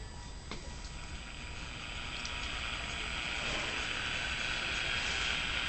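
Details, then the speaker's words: Detrola tube radio after repair, with the face and dial string refitted: on power-up the hiss swells steadily into faint station static as it warms up; the set is working and receiving; normal tube radio reception with static. "Sounds like an old radio if I ever heard one."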